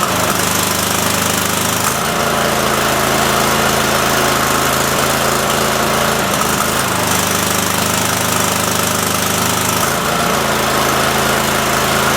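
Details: Cub Cadet mower engine after carb screw refit, PTO engaged spinning blades; note drops and recovers every few seconds, stumbling and surging. Owner suspects a leaking fuel solenoid sucking air or a bad coil; unconfirmed.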